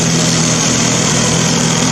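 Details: Old Mazda engine on a homemade ignition control computer, exhausting through a homemade muffler. Steady, even low hum with a constant buzzy exhaust drone and no stumbles or knocks. Healthy idle.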